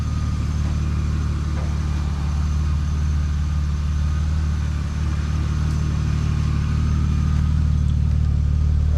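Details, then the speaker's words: 1999 BMW E36 328i six-cylinder idling after replacing the pulley, AC belt and hydraulic AC belt tensioner: smooth, steady low hum with an even rhythm and no belt squeal or chirp. Normal idle. "let's give it a start car is running good huh running it's running good sounds good looks"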